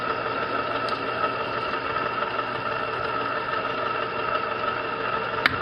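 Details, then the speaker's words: Zenith Z910 console stereo turntable motor, before lubrication: steady hum with high whiny drone, excessive noise; suspected dry bearings, to be quieted by lubricating motor. "I'm gonna open the top here we'll get this motor running and then I apply some lubricant to it and we'll get it quieted down okay ray probably hear that and that's the motor"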